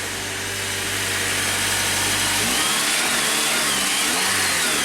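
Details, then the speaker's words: 2008 Honda Accord with intermittent no-crank from a leaking 3-year-old battery that corroded the terminal: after terminal repair, smooth steady idle into a clean, even rev with no misses or knocks; running normally. "Okay, good. Let me shut it off. Let me shut it. Alright, good deal. So obviously the battery electrically is still okay."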